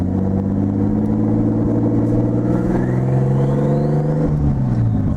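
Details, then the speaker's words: Nissan 280ZX with a newly converted L28ET turbo engine on its first test drive, pulling in second gear with the turbo inlet open. A faint rising whistle and some pops are heard as the turbo spools up cleanly. "Alright, she spools good. You really hear that thing going."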